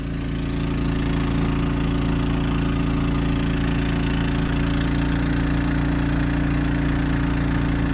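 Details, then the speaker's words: Champion 3500 W portable generator in an enclosure on a 1990 Fleetwood Bounder motorhome, loaded by the roof air conditioner on high: steady smooth drone with no surging, quieter than idling in the open, carrying the load comfortably. "it's running quieter running an air conditioner than it would be if it was sitting out here idling so that's pretty good too"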